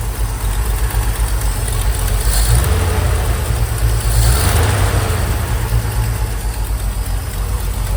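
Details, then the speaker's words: 1969 Chevy C30 one-ton truck engine after head gasket replacement, run briefly without coolant and with the transmission removed: steady low rumble at idle, even beat, no knocking; earlier noise confirmed as coming from the transmission. "So, one thing I didn't notice or hear was any knocking. So, that noise is definitely coming from the transmission because it's not on there right now and it's gone."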